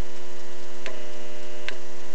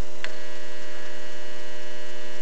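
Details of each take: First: Ferroresonant potential regulator transformer powering an incandescent (GLS) lamp: steady low mains hum with faint irregular ticking from the lamp's turn-on surge current and no harsh buzzing. A CFL load causes loud buzzing instead. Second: Ferroresonant regulator transformer powering a compact fluorescent lamp: steady, harsh buzz from the ballast filter capacitor's charging current surging 120 times a second. An incandescent lamp gives only a faint start-up tick.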